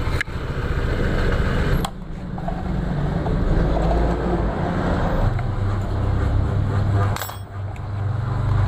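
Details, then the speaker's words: 2021 Honda PCX 160 at idle with the CVT cover off: rough, low, uneven rattling clatter coming from the front pulley; loose roller housing cover. "jadi suara berisik di bagian depan ya di puli bagian depan di sini"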